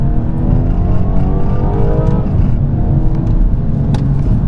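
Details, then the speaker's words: 2017 BMW F22 230i under acceleration: engine pulls hard with rising tone while a light rattle underneath appears under load; parking brake cables slapping the drive shaft after their small plastic bracket broke, common on this generation. "You hear a bit of a rattling sound on acceleration. Unfortunately, that is due to a slight issue that this car has."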